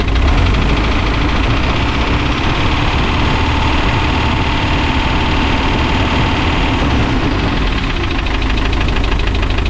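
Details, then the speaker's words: Rusty, a Spryte snowcat with a turbo diesel, just fitted with new OEM Zexel fuel injectors: a steady, even diesel clatter at idle with no misses or surging, sound barely changed. Normal idle. "Rock solid. idle. I don't think it changed the sound of the motor much."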